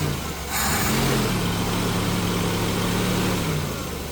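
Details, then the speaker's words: Jeep YJ after new fuel hoses, fuel filter, fuel pressure regulator set about 4.5, spark plugs and plug wires, long-standing rich running: catches with a short rev, then even steady idle warming up, choke opening, no misses or knocks; normal. "Sounds pretty good actually. Choke's opening nicely."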